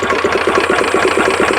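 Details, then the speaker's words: Two-cylinder racing lawnmower engine for a 50 mph lawn tractor build, choke just turned off after starting: uneven lumpy idle with single firing pulses about eight per second; owner thinks it is running on one cylinder, cause unconfirmed. "Oh, it's still in one cylinder, I guess, but I don't blame it."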